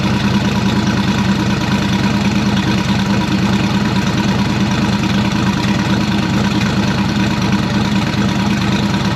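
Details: Turbocharged V8 hot rod on its first start since last October, just after the turbo kit and downpipe were finished. It idles with a lumpy, loping, deep rumble; cause unclear. The AC belt is seen wobbling.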